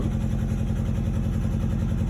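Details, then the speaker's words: 2001 Nissan Sentra, 92,000 miles, check-engine light on, exhaust needing work: petrol engine idles with a rough, lumpy beat, a cylinder misfire most likely from a bad coil pack per a code reader, fixed by replacing the coil pack. "I noticed that there's a bit of a misfire so which guys can start it up by reading the codes on it and you can hear it definitely met those need something else work part of me check on your light the money lights on"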